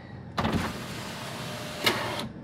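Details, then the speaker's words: 2017 Mitsubishi Outlander front passenger power window after glass replacement: gritty grinding over the motor hum through the whole stroke, with a crunch near the end. Leftover broken glass has fallen into the door track. "this almost sounds like there's glass in there doesn't it"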